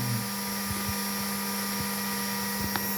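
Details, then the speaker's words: GPNI 2.2 kW 220 V three-phase ER20 800 Hz 24,000 rpm spindle on a Fuling DZB300 inverter, test run after parameter setup: steady clean high whine at full speed, no rumble, wobble or grinding; normal spindle run at speed. "Izinkan saya menjalankannya agar Anda dapat melihat betapa lancarnya prosesnya."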